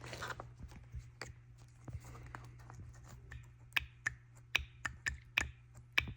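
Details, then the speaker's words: BMW N54 single-turbo 335i with camshaft and VANOS faults: a good VANOS actuator pulsed on the bench gives quick, soft, clean, quiet plunger clicks with no metallic knock, unlike the loud, pinging failed one; hook-ring failure suspected. "sounds like a plunger like a suction plunger these sound like some like metal hitting and these sound very like nice clean quiet"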